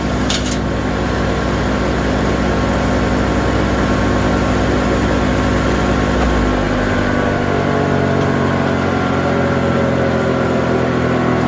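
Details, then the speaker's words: Liberty 3-point PTO wood chipper after repair, tractor shut off from 540 rpm and put in neutral: heavy flywheel hums smoothly, tone sinking slowly as it coasts down, no rubbing or knocking; normal flywheel coast-down. "Tractor's not even running. Sounds pretty good, doesn't it? Takes quite a while to stop."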